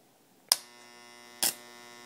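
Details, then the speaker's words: Modified variac overdriven via home-made ballasted power strip (heater as ballast, else it pulls too many amps and burns out); switch click, then loud steady angry buzzing hum holding after second click; output starts ~0.01 V. "now you can hear the uh the angry hum that this thing puts out and this is why it needs the ballast"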